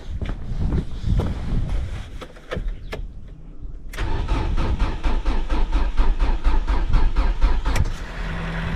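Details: Mk2 Ford Mondeo being revived, first start attempts on a dead battery with jump pack, fuel pump heard priming: steady starter churn about two compressions a second, no firing or pickup; cranks but won't start, cause suspected, not confirmed.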